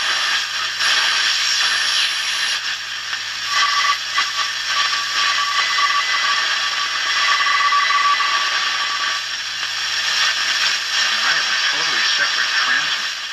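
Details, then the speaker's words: Hallicrafters 5R230 radio, supposedly 1953, on shortwave with only a finger as antenna, 40 meter ham band: even hiss with a thin steady whistle and faint shifting signals; normal shortwave reception. "for recording that's the 40 meter ham band there's that's amazing absolutely amazing"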